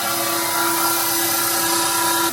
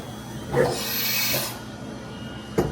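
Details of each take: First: Old Fadal CNC mill, sat unused for years, spindle commanded to S3000: steady even-pitched whine, then a clean stop as it switches belts from low to high gear up top; smooth, healthy spindle and gear change. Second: Old Fadal CNC mill, sat unused for years, first tool change (M6 T2): sharp clunk and air hiss, then another hard knock as the spindle goes way too low into the tool changer; emergency stopped.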